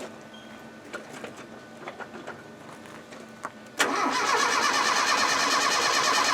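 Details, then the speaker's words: Early Land Rover 90: the starter churns steadily at about three turns a second, but the engine never fires. Fuel is confirmed at the carburetor; no spark from old, dirty sliding-type ignition points. "now why won't it start well I think the move the camera will do some Diagnostics right we know for a fact that there's petrol getting to the carburetor but these old points have been in quite a while"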